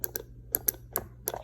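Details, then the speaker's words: Old fuel injector bench-tested with 9 V battery and push button: crisp single clicks each time power is applied, about six in under two seconds; injector actuating properly. "if i hit this button here over here you should hear it clicking which means telling me that it's actuating"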